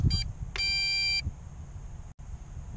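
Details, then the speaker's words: MJX Bugs 3 drone transmitter during its first flight: two high electronic beeps, a short one then a longer one, warning of a low battery and signaling time to land. "Transmitter's beeping, letting you know, hey, battery's low, time to land. You don't want to damage the battery, so go ahead and bring it down to a land."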